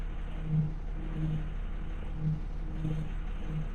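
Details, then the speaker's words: International 4700 truck with DT466 diesel: after warming up and reversing, the power steering pump makes a low droning whine that swells and fades while steering. Flow to the pump is restricted by a completely clogged hydraulic filter. Finding: power steering pump whine. "Camión calienta, reversa y de repente te hace este ruido."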